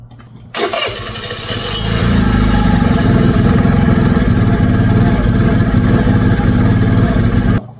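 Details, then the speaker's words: MVP 49cc Chinese scooter with airbox closed up: fires first try into a steady buzzy idle but won't rev; throttle cable connected, cause unconfirmed. "So obviously it started right away that time. So airbox being closed might have something to do with that, but it won't [Music] rip."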